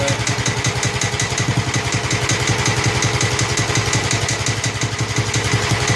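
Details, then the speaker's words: Snapper mower with a leaking carburetor that needs a rebuild kit. Steady, even putter at about three beats a second with a clean exhaust note and no knocks or stumbles; the engine itself runs healthy. "The motor sounds good when it's running correctly."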